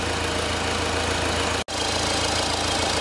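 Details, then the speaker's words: Four-cylinder diesel, firing order 1-3-4-2, idling with a pressure-pulse sensor in the intake manifold: even clatter with no misses, knocks or hunting. The vehicle is running absolutely fine. "but it is where it is and this is i'm not really concerned the the vehicle is running absolutely fine"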